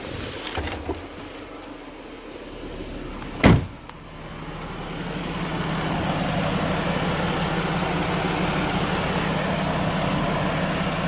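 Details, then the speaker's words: Dodge Durango with AC on max, recirc on, after an AC service; it came in with no refrigerant. A single clunk as the compressor clutch engages, then a steady low hum over the idle; the low-side line is freezing cold. Compressor running normally. "And ladies and gentlemen, as you can see, the compressor's on. My low side line is freezing cold."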